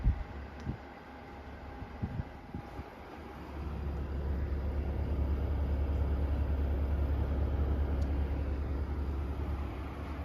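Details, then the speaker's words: New 2025 Midea U 6,000 BTU inverter window A/C, just installed and heard from inside the room. Compressor ramped to full capacity with the fan on high. Quiet, even low hum that swells smoothly with no rattles; normal running on a humid day in the 70s °F. "You can hear a very slight hum within the compressor, but turn the fan speed to auto. Which seems to be the same as high."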